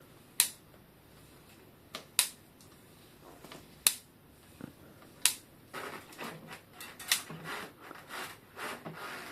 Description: 00:00 Clicks and crunches in a bicycle headset.